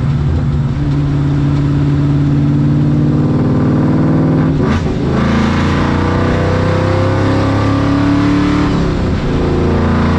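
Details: Ford Mustang Coyote V8 with a new exhaust and Y-pipe, fixing a rattle caused by a fender bolt; heard inside the car on the interstate. Smooth low drone at about 70 mph and 2000 rpm, then deeper, louder at wide-open throttle, no rattle or buzz; normal exhaust.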